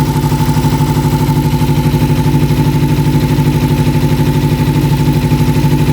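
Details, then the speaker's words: 1988 Kawasaki Ninja EX500 twin, a non-runner revived after fuel issues, with the vacuum line bypassed and plugged: smooth, even twin-cylinder beat of about three pulses a second, idling steadily at 1500 rpm with no misses. "so we just bypass that uh vacuum line going into the car plug that off now it's idling perfectly right at 1500 that sounds so much better"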